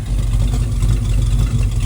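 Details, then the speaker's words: Dodge Dart V8 project car with a Summit cam and overdrive automatic with a tight lockup converter. A deep, steady, throaty idle with even pulses and no knocks or rattles; it sounds healthy. "So, idle sounds pretty good on this thing."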